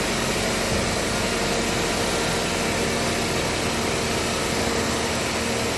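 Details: Engine with previous head gasket and burnt-valve repair, back for P0014 exhaust cam code, after installing new Dorman part and tensioner: even, steady idle hum, no rattle or ticking; idles smoothly, though scan shows new part prematurely failed.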